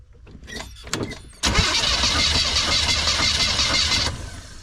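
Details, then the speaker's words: Van compression test on a weak battery, cranking one of the easy-to-reach cylinders (five or seven) with an even, steady rhythm and no firing: the gauge reads low compression. Owner suspects bad rings or a head gasket; unconfirmed. Cylinder five read about 80 psi. "I think we're finding the problem I don't know if that's bad rings I don't know if it's bad head gasket I do not know but that's not good"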